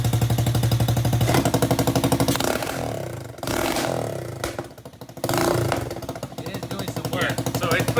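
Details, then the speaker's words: Power Wheels Ford F200 build, small single-cylinder engine with hollow slip-on Tractor Supply muffler exhausting up front; loud sharp barking at idle and throttle blips, barely muffled. Loud exhaust. "so there you go it's a slip-on exhausting up front but back here it's honest enough quaintly loud you're you're saying that doing much"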